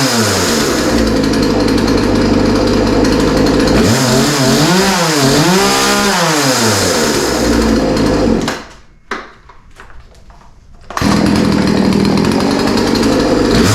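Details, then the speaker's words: Poulan P3314 33cc chainsaw, 14in bar, bought as non-running with chain off the bar, started with choke-set part throttle and primer: crisp two-stroke howl revving cleanly up and down, short idle; runs healthy, likely nothing wrong besides the chain. "yeah so yeah that sounds pretty good I mean I didn't really expect any different after all it was running before we started working on it so it's not surprising that it sounds okay"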